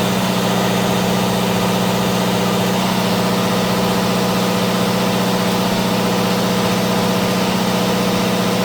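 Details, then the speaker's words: Onan DJC diesel generator, started stone cold after sitting a month or two, load bank varied between several hundred watts and about 11 kW: extremely loud steady drone with firm low beat holding even through load changes, no smoke; normal running under load. "All right, once again, I got to walk out here so you can hear me because the DJC is extremely loud."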